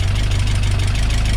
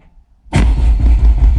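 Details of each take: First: Peugeot 205 GTi Mi16 freshly rebuilt engine on first start: quick even light ticking over deep low idle; hydraulic tappets primed long ago not yet refilled with oil, expected to quieten. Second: Peugeot 205 GTi Mi16 engine build, first start attempt with ignition coil disconnected, cranked on a fly lead to build oil pressure: steady even cranking about six seconds until the oil light goes off; normal cranking.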